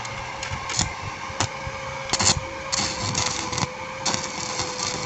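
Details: Repaired Blackfoot 350W/120A welder (4060 and PTC replaced) welding with 2.6 mm rod, current raised to about 70 A: steady crackling sizzle with irregular pops over a faint constant whine; arc even, normal.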